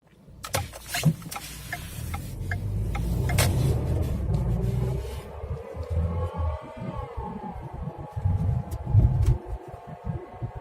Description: Whining noise from 2012 Ford Fiesta SE, seems to be coming from the transmission as it only does it in drive or reverse.